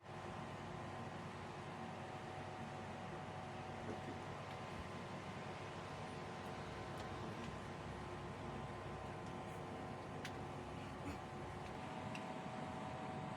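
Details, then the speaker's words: Samsung split-type aircon indoor unit with a faulty PCB board needing replacement: steady hiss-like whoosh with a faint hum and no rhythm. The indoor blower is noisier than it should be; the cause is not confirmed. "Then maingay din po yung blower po niya."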